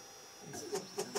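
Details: Formlabs Form2 resin 3D printer starting its first print: faint whir, then three short chirping clicks about a quarter second apart; mechanism sounds off, printer later reports it is not level.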